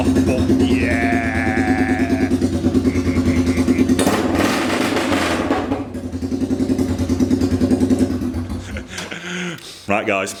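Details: Royal Enfield 350cc Bullet with a freshly made custom exhaust, start-up: a deep, even single-cylinder thump with clean rev blips that settle back. Sounds healthy.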